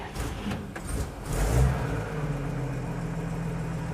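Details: 1950 Chevy 3600 truck cold start after new radiator hoses and coolant, thermostat not yet open, no choke: catches with brief rev then smooth, even low idle, no misses or knocks; runs healthy.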